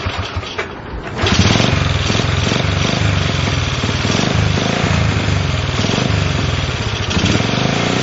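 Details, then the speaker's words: Honda CL70 single with idle set higher than before: revs into a rough, uneven blat that falters and sags on throttle, a dead spot, then picks up; cause suspected, not confirmed. "you hear that dead spot when it starts to suck that air in and bogging down and then it picks up"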